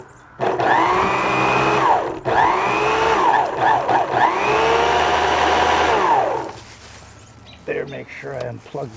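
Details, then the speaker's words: 1970s Electrolux AP100 power nozzle, 110 V brush motor, bench-tested on an appliance cord before cleaning hair from the brush roller: the small motor spins up to a steady hum, runs smoothly, then winds down when switched off, twice. Healthy motor. "right now okay i unplugged it sounds good"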